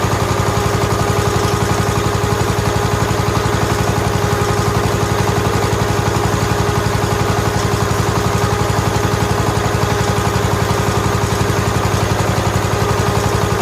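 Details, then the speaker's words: 1969 John Deere 140 H1 single-cylinder engine after a new carburetor was fitted, with slightly black oil: an even, steady thump at a settled idle with no misses or knocks, running quiet and smooth. "the next video you see the video clip will be it's running and it runs well runs quiet and smooth"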